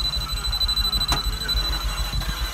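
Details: Mazda RX7 FD, first start of a newly ported rotary engine: steady high-pitched alarm tone over a low pulsing rumble, the car alarm triggered by low battery voltage.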